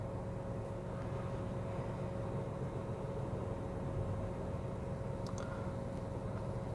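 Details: 1KR engine idling after repair of a misfire with code P0353 and the engine warning light; a quiet, steady idle with an even hum and a faint constant tone, no miss. Healthy.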